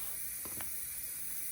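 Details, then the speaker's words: Dishwasher that shut off after 2 minutes, after cleaning dirt from the pressure sensor: pump runs briefly, then steady soft hiss of water filling the tub with faint clicks, sensor now reading no water inside; normal water fill. "now the water is running because the sensor is telling the dishwasher that everything is okay that there's no water inside"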